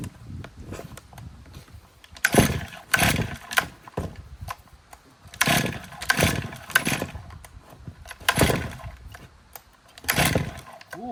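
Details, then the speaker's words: 2023 Stihl MS500i 79cc fuel-injected chainsaw, purge bulb pressed eight times: repeated pulls catch and die and the engine kicks back without running. It is loading up with fuel bubbling out of the decompression valve. "This thing is loading up with fuel. We have fuel bubbling out of the decompression valve."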